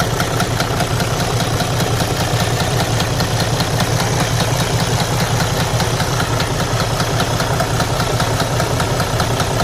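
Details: DD13 diesel truck engine idling with a very low, regular knock deep inside the engine; cause not yet found, engine must be opened to investigate internal damage.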